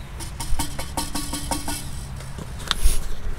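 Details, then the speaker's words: 6.7 Cummins Ram with a noisy old South Bend clutch, due for removal along with a rear main seal change during a transmission rebuild: loose metallic rattling in quick, uneven bursts over a low diesel hum. Clutch rattle. "don't think they're supposed to rattle like that um on top of all that i want to get this clutch out of here and i want to get the rear main seal changed"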